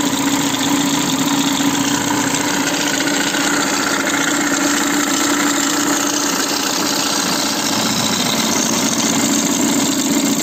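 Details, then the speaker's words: Citroën C4 with the engine mount and timing cover removed, phone mic held near the timing belt tensioner pulley: a harsh gritty whir with faint rapid knocking over idle. The new tensioner, fitted at a recent timing belt job, was oscillating badly. "comme vous pouvez le voir quand on l'a mis près du galet tendeur la partie micro ça écoute beaucoup plus et il y a un bruit très moche"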